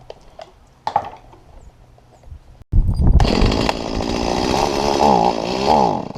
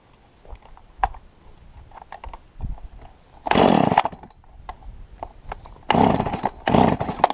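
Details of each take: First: Stihl MS170 chainsaw with the carburetor inlet control lever bent down too far: the saw fires, then revs stagger and sag unevenly instead of holding clean, bogging down; the lever was later lifted about 2 mm with pliers. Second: Stihl MS170 chainsaw that was bogging down, after bending the carburettor inlet control lever up about 2 mm: sharp full-throttle bursts rising crisply and holding under cut without sagging; normal cutting.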